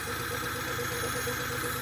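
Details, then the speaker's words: Petrol engine idling after fuel pump priming, with an uneven, stumbling pulse from a persistent misfire at idle; knocking also noted, possibly lifter-related. "That thing's still misfiring. For sure."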